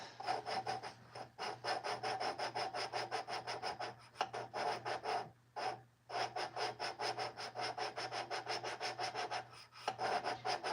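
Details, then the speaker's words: Plymouth engine valve job: steady back-and-forth rasping strokes, about three a second, with brief pauses, hand-lapping a valve into its seat with compound; sound turns smoother as it seats, rougher after fresh compound. "once you kind of hear that getting smoother just lift your valve up and get more compound and then it'll kind of get rougher"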